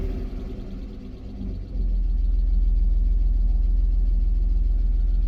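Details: 1998 BMW E39 520i single VANOS after crank-no-start repair: cranks, catches within a second, then settles into a smooth even idle; no overheating or misfires, lifter tick gone.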